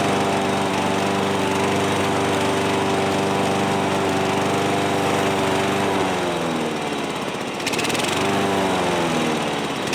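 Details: Old John Deere 14SB push mower, trash find, rope instead of missing recoil, carb only removed and inspected, at half throttle: buzzy single-cylinder run that sags twice and recovers, speed not holding; owner thinks the carburetor needs a rebuild.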